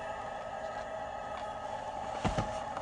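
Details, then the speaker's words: Tesla Model 3 Long Range parked after fast charging: a steady, fairly loud mid-pitched hum and drone from the battery cooling down. "I'll wait for the battery to cool down because it's just making lots of noise. I have to say, this car is noisy."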